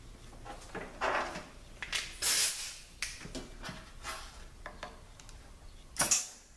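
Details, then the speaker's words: 2012 4R70W transmission during assembly, air check of reverse input clutch with new bushings: sharp air hiss with firm thump as clutch applies, then quiet holding without leak hiss; clutch applies and holds properly. "yeah that sounds pretty solid holds it yeah that looks good"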